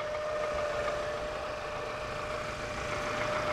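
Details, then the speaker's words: 1998 Toyota Camry at about 157,000 miles, just after timing belt, water pump, oil pump and oil pan gasket replacement: even, steady idle with a faint high whine and no knock or tick. Timing belt noise is quieter than before; normal idle. "sounds like she's running okay the timing belt stuff is definitely not as loud as it was before"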